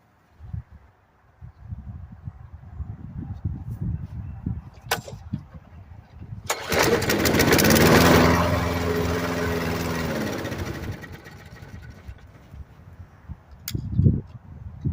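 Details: Murray mower with 5 HP Briggs & Stratton engine after carburetor swap, primed: pull-start rasps, then it catches and revs about four seconds before fading out; fires but won't keep running.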